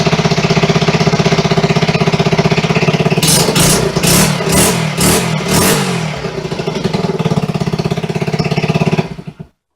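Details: 1974 Honda XR75 after a two-year restoration and its first start: the small single ticks over evenly at about four pulses a second, takes a quick throttle blip cleanly, then is switched off. It runs healthy, with minor adjustments still needed.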